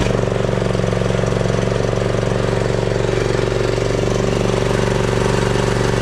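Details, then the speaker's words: John Deere Z525 mower after 100+ hours in dusty conditions, running after air, fuel and oil filter, spark plug and oil change; quick steady putter, no surging, missing or stalling; new fuel filter priming, runs healthy. "this machine tends to be a pretty good running machine"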